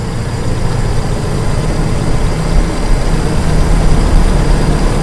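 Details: Carbureted car engine (e.g. Toyota Kijang) at light throttle, primary jet up to mid speed: deep, steady note rising gently as throttle cracks open, no stumble or misfire; engine not affected by hesitation, carburetor running clean.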